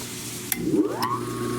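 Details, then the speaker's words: 1940s Peerless 1/2 HP electric motor, saved and oiled: a short click, then a clean hum climbing quickly in pitch and settling into a steady tone. Startup is normal, though the capacitor is due for replacement. "I want to capture that startup sound real good here."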